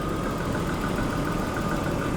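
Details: Daimler XJ40 that broke down on the highway: a smooth, steady low idle hum with no stumble while the O2 sensor cables are wiggled. It idles normally.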